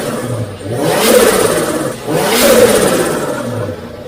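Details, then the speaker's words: Turbo Nissan Patrol with screamer pipe, two clean throttle blips rising and falling smoothly with no misses, knocks or rattles after wideband sensor wiring; healthy engine revving freely. "yeah i'm loving that guys that's what we wanted nice stock standard patroller hey"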